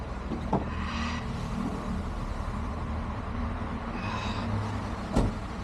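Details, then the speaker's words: Reconditioned Hyundai iLoad D4CB diesel, one year on, three starts and revs from about 1,000 to 3,000 rpm: steady even hum, no knock or rattle, sounds healthy; still blows some black smoke, tuning planned. "it sounds good sounds like a motor should sounds uh powerful sounds uh solid I can't hear anything rattling too much or anything which would make me think that uh you know it's got any issues"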